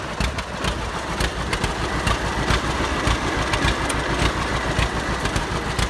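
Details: 70-year-old farm tractor, unrun 20–25 years, after cleaned-up carburetor and solid-state ignition replacing points and condenser: slow chuffing idle with evenly spaced firing pops, slightly loose but steady; running fine, needs tune-up.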